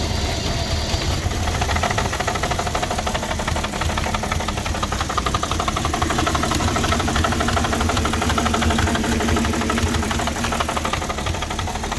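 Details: 2006 Porsche Cayenne 3.2 V6 petrol, cold and just started: choppy, stumbling idle pulsing about three beats a second. Owner suspects a misfire, vacuum leak or throttle body problem; rough cold idle, cause not confirmed.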